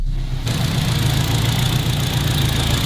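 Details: K24 turbo Honda Civic race build (600HP), first start after rebuilt manual gearbox installed: steady, even low idle with smooth exhaust drone, no knocks or misses; engine sounds healthy at idle.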